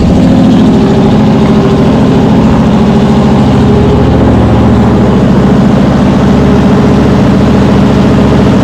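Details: Cold V8 with a Brawler 650 CFM double-pumper carb (mechanical secondaries; timing 16° initial, 36° total), just turned 1/4 clockwise: loud, steady idle sitting a touch high with an even low lope, rich after flooding and still burning off old fuel.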